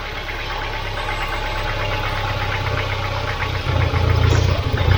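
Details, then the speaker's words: Volvo 940 Turbo warm idle surging up and down, rougher near the end; owner switches off fearing fuel leak and fire; leaking fuel pressure regulator, a recurring fault on his old Volvos. "so guys every single old volvo that i've had has had an issue with the fuel pressure regulator so i'm going to turn it off before it leaks fuel and just catches fire"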